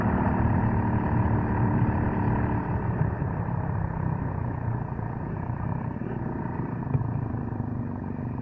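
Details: Suzuki Gixxer motorcycle: steady low rumble with a loose, uneven chain clatter about three times a second; noisy drive chain, cause not pinned down and owner seeking advice.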